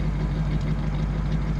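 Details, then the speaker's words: 1940 Ford Tudor hot rod idling, mic down by the dual glass-pack exhaust: deep, even low burble with smooth steady rhythm; sounds great, not overbearing; healthy idle. "yeah it sounds great it's not overbearing and when you're going down the road and there's a lot of sound deadener in a car too"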